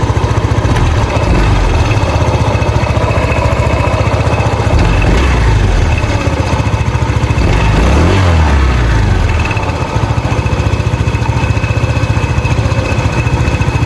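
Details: Honda PCX 150 scooter in the shop with an unpleasant CVT noise: a steady, loud idle with an uneven flapping rumble underneath, the drive belt slipping on a worn pulley set.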